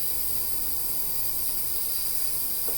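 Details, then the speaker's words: Derui DR-DS30 3L ultrasonic cleaner (37 kHz centre frequency) running with sweep off, plain water in tank, heated to about 107–108°F: steady, even high hiss with faint constant hum, no pulsing or wavering; normal steady running. "talking about the sweep function this is running without sweep on just listen to the sound"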